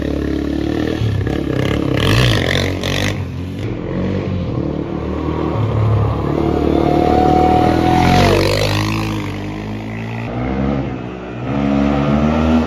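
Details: Honda 400EX ATV, cold start with choke after carburetor cleaning for plugged jets causing bogging under load; single-cylinder thumps, revs climb and drop cleanly without stumbling; normal revving.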